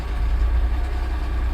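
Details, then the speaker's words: 2006 Honda Odyssey towed in, in park, described as clattery and not moving: deep heavy idle with a dull regular low thump from inside the engine; not a broken axle as first suspected, engine likely needs replacing. "The way it was described to me was it's making like a clattery noise and it won't go anywhere."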